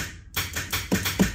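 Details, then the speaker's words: Trans brake and line lock buttons pressed after reconnecting a battery that had gone dead for no known reason: sharp evenly spaced solenoid clicks about five a second. Solenoids switching normally. "you guys can hear that clicking that's good right here line lock it's clicking that's good"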